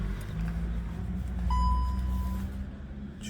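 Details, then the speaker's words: 2020 Skoda Kodiaq after repair: steering rack removed, adjusted and its mechanism replaced; previously knocked badly, now steady low engine hum with no knocks or rattles, rack quiet. "Тишина. Рейку сняли, отрегулировали. Поменяли в ней систему, чтобы было навечно."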